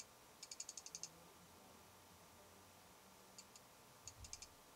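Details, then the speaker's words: Fuji X-Pro1 in a low-light recording studio, 3 feet from a sound pressure meter reading under 60 dB, occasionally 53 dB: faint rapid bursts of tiny clicks, about eight in a run and then a few more. Lens aperture chatter. "But what we're trying to do is we have a Fuji X-Pro1 here, and I hope you can see that Fuji X-Pro1, and we're measuring the lens chatter that everybody's complaining about."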